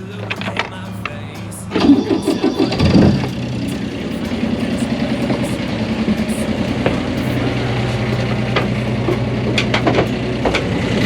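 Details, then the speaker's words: 1988 Catalina 36 sailboat inboard engine after securing a loose part that caused grinding: brief crank then steady low smooth drone with no grinding or vibration; running normally after repair. "No vibration! Woo! Dude, the simple fixes are the ones that make me so happy."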